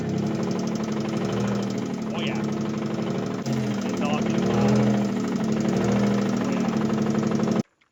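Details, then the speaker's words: Toyota pickup engine after driving through a water hole and clearing water via the spark plug holes: rough running with a hard, uneven knock about four per second over the idle. One cylinder is noisy, and the engine is possibly done. "knock knock who's there the [Applause] engine oh that engine might be done kind of sounds like it hello that oh yeah I Dr knocking"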